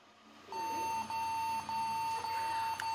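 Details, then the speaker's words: Acer Aspire 4738G laptop at power-on: single high beep repeating about twice a second nonstop; keyboard connection fault suspected, reseating keyboard stopped the beeping and it booted. "that doesn't sound right it could be the keyboard freak down"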